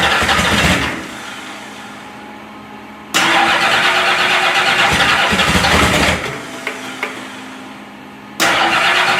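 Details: Freshly finished turbo Oldsmobile DX small-block V8 with -9 heat-range plugs, first fire-up in the car: rough loud revving bursts over a clattering run; owner attributes the rattle to loose piston clearances, 90 psi oil pressure.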